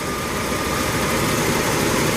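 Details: 1987 Ford F150 inline-six EFI after replacing the EGR pressure feedback sensor (DPFE) for code 32: even, steady idle with a constant hum, only slight occasional fluctuation. The earlier rough idle is fixed.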